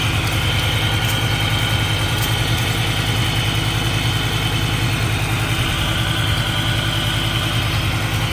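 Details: Car engine at steady, even idle with a smooth low pulse, no speed change while intake hoses are sprayed with brake cleaner to test for false air; no vacuum leak found.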